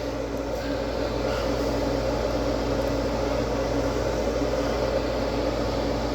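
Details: ICP/Carrier gas furnace heating cycle after blower motor replacement: draft inducer gives steady, even motor hum with smooth airy rush, no rattles or bearing noise; running normally.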